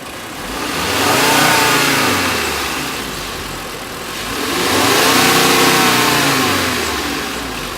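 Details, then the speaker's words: 2011 VW Golf 2.5 automatic, recently replaced coils, being checked for a vehicle shake (suspects CVs or engine mounts): hood open, two clean free revs in neutral with no load. Pitch rises and falls smoothly with no knock, miss or rattle; the engine runs fine. "the engine is sitting fine yes I mean the engines not really doing but I mean again there's no load on it obviously"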